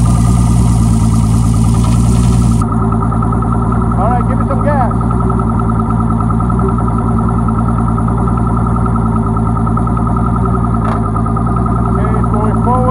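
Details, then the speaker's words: Boat outboard, described as turnkey, started and run in forward gear: steady deep even burble with no knocks or misses; sounds very good, normal running. "forward sounds very good all right that's good"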